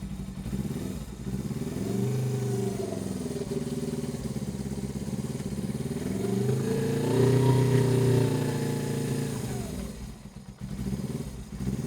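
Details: Suzuki GS500 twin, unused for years, being serviced: uneven, lumpy idle rising and falling; running on one cylinder, heat gun shows left cylinder 150° and right only 56°, right cylinder not firing.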